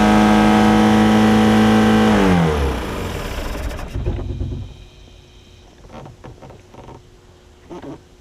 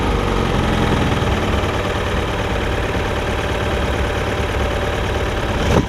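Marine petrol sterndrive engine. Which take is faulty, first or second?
first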